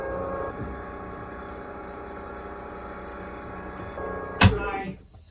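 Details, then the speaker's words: Newly installed Seawater Pro watermaker main pump on a 2011 Fountaine Pajot Lipari catamaran, first switch-on with boost pump already hooked up: steady even motor hum, faint constant whine, no knocks or surging; pump running normally. "Hopefully I did everything correctly. Hopefully. We're gonna listen to see if the motor turns on."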